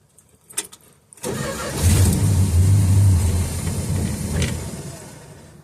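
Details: 1969 Dodge Dart left six months on old 10% ethanol gas, carb bowl gravity-fed: a second of cranking catches into a brief uneven run that swells then sags away; fuel in the bowl isn't drawn down, owner suspects a sludged carburetor.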